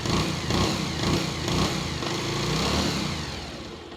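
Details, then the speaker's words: Bajaj Pulsar 150 after a full engine rebuild, having seized and sat two years, on a cold start: crisp single-cylinder revs rising and falling smoothly with the light whine normal for a Pulsar; normal revving. "अगर मेरे perspective से बताऊं तो मैं तो satisfied हूं इसकी आवाज से जो नॉर्मल पल्सर की साउंड होती है हल्की सी वाइन आती है उसमें वो एगजैक्टली सेम है"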